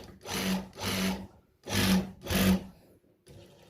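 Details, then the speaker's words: Noisy sewing machine after loose parts were tightened and checked solid: four short smooth runs with a steady, even whir and no growling or knocking, so it runs normally. "Nah sekarang kita coba lagi. Nah ini udah nggak ada yang ngorok-ngorok."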